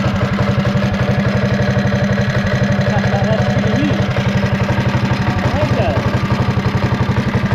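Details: Mighty Moto minibike idling after a new pull start was fitted following off-road damage, first run in a couple of weeks; quick, even popping of a small single at about four beats a second, steady with no misses.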